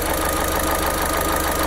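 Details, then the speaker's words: 2010 Opel Astra H 1.8 Z18XER petrol, 327,000 km, warm idle at 101°C: fast, light knocking rattle from the camshaft phaser gear, knocking from about 80°C, though cam angle still holds. "шестерня уже стучит стучит где-то с 80 наверное но угол держит"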